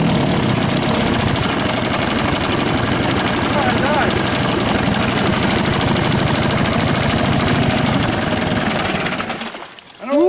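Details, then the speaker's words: Rebuilt 1963/64 Evinrude 40hp two-stroke outboard, throttled down slow, likes the choke: steady even drone with no misses until shut off; runs but can't be killed. "can't kill it. It won't stop. But it's running"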